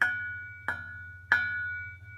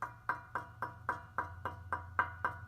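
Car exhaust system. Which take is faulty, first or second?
first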